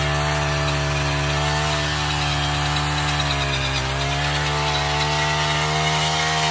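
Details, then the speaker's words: Honda Harmony FG100 small tiller, started with no choke and warming up about a minute: a fast, even buzz with steady pitch and no misses or surging; normal warm-up idle. "I'm gonna do no choke again. Let her warm up for like a minute, then we'll get her going, okay?"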